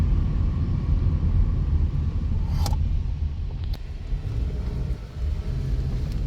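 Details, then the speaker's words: 2011 Toyota Camry, 106,657 miles odometer, pre-purchase inspection, turning at parking-lot speed; low even road rumble with no clunks, creaks or knocks through the turn, rides smooth; normal suspension and steering. "Turns well. No abnormal noise. It feels pretty good, actually."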